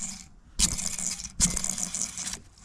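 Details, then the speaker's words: 2015 Ford Fusion hybrid transmission, customer complained of bearing-like noise, bearing spun by hand: short bursts of dry gritty scraping, visibly damaged; worn differential bearing. "And you can see you can see there all that damage. So obviously this is the culprit."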